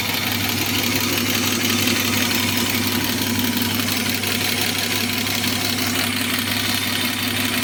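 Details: BMW E34 with M50B25 engine: fast, light, somewhat uneven ticking over a steady idle, suspected hydraulic lifters (valve lash adjusters) in the valvetrain, not confirmed.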